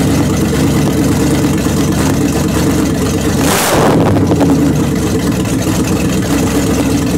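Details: 1929 Chrysler with a 360 V8 and 707 transmission, first run after correcting an electric choke set too far closed and setting idle: fires and settles into a steady, even rumble with one throttle blip, no misfire. Normal running.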